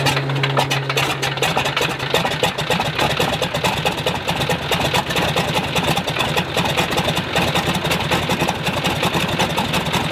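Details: Stinson L-1 engine with duplex magneto, left/right magneto outputs swapped between distributors for test run: rapid, slightly rough uneven firing; fault stays on left side, so the left distributor is blamed.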